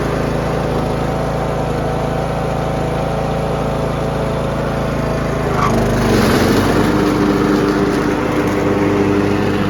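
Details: Troy-Bilt Pony riding mower after replacing deck spindles and blades (previously mulching poorly with bad noises under load): steady single-cylinder drone, then blades engage with rising whirr and settle smoothly; no scraping or rattles.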